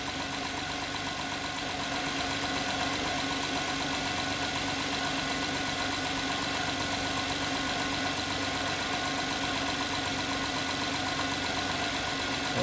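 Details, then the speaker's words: 2011 Honda Pilot at idle, customer complaint of strange engine noise and stinky smell: steady light even ticking about four per second over hissy background, heard from the middle, inside the engine; engine looks normal, cause undiagnosed. "as you see guys the sound like i hear just coming from the middle and the engine you know it's inside"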